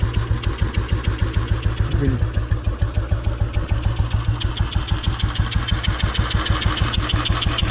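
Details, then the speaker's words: Royal Enfield 350 Bullet, iron barrel, cold with choke: composite head gasket failed, little compression, also leaking oil. Slow single thumping with a hollow puffing chuff each stroke, gasket blowing; expected to worsen when warm. "you can hear it blowing right still running still running if I open it up you can hear it it's probably only running cuz it's cold when everything expands it'll let it blow out a bit more"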